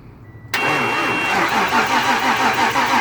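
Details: 1995 Ford Mustang 5.0 L cranking steadily at about three beats a second with good fuel pressure but never firing: a no-spark no-start traced to a damaged ignition coil.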